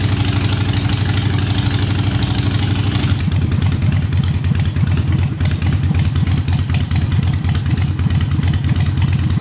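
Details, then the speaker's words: Harley Sportster, first start on a jump box after fixing a no-start fuel issue. It has a loping uneven-fire V-twin beat that settles to a steady low idle with no knocks or clatter, and the throttle works. "we got the potato potato potato sounds good throttle works"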